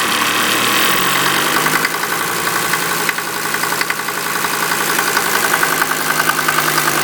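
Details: 1988 Mercedes 190D diesel running on waste vegetable oil, idling with loose uneven clatter and sharp metallic clangs about three a second; heavy smoke and diesel fumes from tailpipe and cabin; cause of clanging unidentified.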